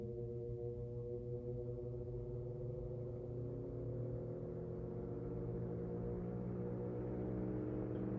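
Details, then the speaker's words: 1931 GE 16-inch franken-fan, stamped-steel base, shaded-pole 4-pole 110VAC motor with brass blades believed to be early-1910s Sprague, before restoration, on low speed: steady even motor hum, smooth blade whoosh, no knocks or rubbing; runs fine. "All right, take 2. Here it is on low."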